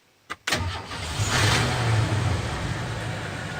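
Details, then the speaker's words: Van (Buster) remote-started by an added thermostat starter wired to ignition, set to cool at 81 degrees inside: brief crank, engine catches at once and settles into a steady, even idle with AC blowing; normal start. "You can hear the van started. The air conditioner is blowing."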